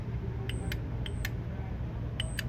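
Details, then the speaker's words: HP LaserJet 1020 dead with no power, power supply board: on pressing the switch, load is applied and three short high-pitched chirps with clicks are heard instead of the expected 24 V output, indicating a power supply fault. "देखिए press करने के बाद यह beep कर रहा है। तो यानी कि यहां पे कहीं ना कहीं प्रॉब्लम है।"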